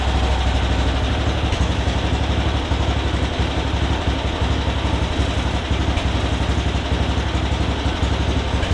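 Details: MTD Yard Machines riding mower after straightening badly bent blade lever so it contacts its safety switch: steady single-cylinder putter, about three beats a second, settling into even idle; starts and runs normally, battery charging.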